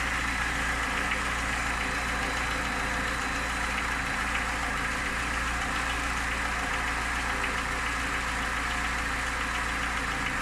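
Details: Niva engine at steady idle with a faint rapid tapping over the engine note; a knock is present but its source can't be pinned down, cause suspected but not confirmed.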